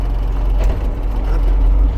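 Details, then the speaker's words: Truck driving after a drive-belt noise fix: steady low engine and road rumble with no squeal or chirp; belt noise gone. "Allez, plus de bruit de courroie, je suis"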